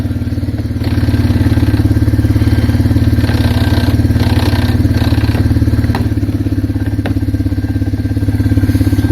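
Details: Arctic Cat 366 that had a hot no-start (owner suspected water in the fuel, a weak AGM battery or the charging system) now running on a charged battery: steady, even single-cylinder putter at idle with regular firing pulses and no knocks or misses.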